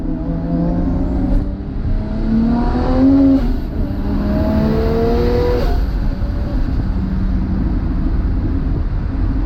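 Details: 1997 Toyota Supra 2JZ-GTE after power steering pump and high-pressure line replacement, system filled and bled: steady even engine note with smooth pitch rises when blipped, no pump whine or groan. Running healthy.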